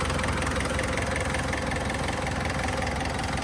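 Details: Mitsubishi Montero diesel that wouldn't start, after fixing cut wiring, wrong cam timing, a poorly seated camshaft sensor, injector and loose pipe: a steady, even idle clatter with no misses or hunting; running normally.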